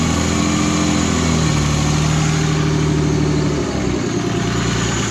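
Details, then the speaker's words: Turbo BMW M52 in E36, previously no compression on cylinder 4 and not running on six cylinders (sticking lifter suspected), after valve cover refit: even, settled idle with steady low hum and no misfire, all six cylinders firing cleanly. "mean that's very nice that it runs great again"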